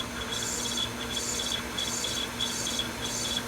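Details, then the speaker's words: Sony VO5800 U-matic VTR, full fast forward with an Ampex tape: rhythmic raspy squeal about every two-thirds of a second as sticky-shed tape drags through the transport; separate fault: not ejecting, likely loading belt. "That's You can hear the tape squealing. Sticky shed syndrome. Crap. Ampex tape. This tape's going to stick to the head."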